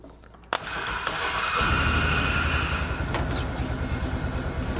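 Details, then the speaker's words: Polaris 500 side-by-side after cleaning contacts of relay controlling spark and fuel pump; brief crank, catches within a second and runs steady and strong: normal start. "tell you what that's that's like one of the best feelings when it fires right up you hear it bust off"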